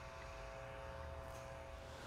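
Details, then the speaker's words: Roberts Gordon CoRayVac infrared heating system vacuum pump in test mode, stage one, checked for bearing noise: steady motor hum, even tone near 600 Hz, no grinding or rattling; normal. "and voila the vacuum pump comes on now that we have the system on we're gonna go listen for bearing noise at the vacuum pump"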